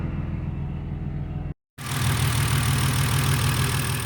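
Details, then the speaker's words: BMW E46 M54B30 on E85 with M56 valve cover, MS43 ECU and pencil coils, after a salvage-yard coil replaced the dead cylinder 1 coil: smooth steady idle on all cylinders, light ticking on top from loud fuel injectors; healthy. "hey it's running on all cylinders and it settled down into a nice stable idle all right I'm happy with"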